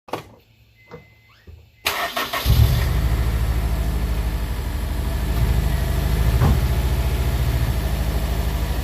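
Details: Honda S2000 engine: catches and settles into an idle with an uneven, stumbling beat instead of a smooth hum; engine misfire at idle.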